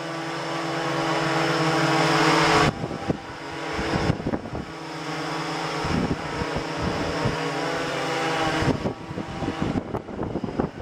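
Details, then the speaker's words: Blade 350 QX quadcopter hovering briefly at night in 16° cold, after motor 4's bearings were replaced with Boca ceramic bearings following noisy-bearing problems. Steady, even buzz from all four motors with no rattle or grinding. Normal motor run. "I just want to go ahead and show you that the uh the craft runs and flies and everything's good"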